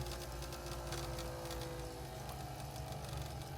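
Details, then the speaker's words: Ferrari 246 Dino Magneti Marelli variable-speed wiper motor bench test at reduced speed via rheostat (about 0–60 ohms): low hum with loose, irregular knocking because armature thrust/end play is not set up properly. "now this motor has another problem in it that the thrust is not set up properly on the armature because you can hear it knock"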